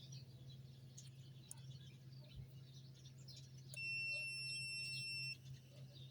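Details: Toyota Corolla power window switch tested with a continuity meter: clean steady high-pitched beep for about a second and a half over faint hiss as the switch contact closes. Continuity beep on closed switch contact.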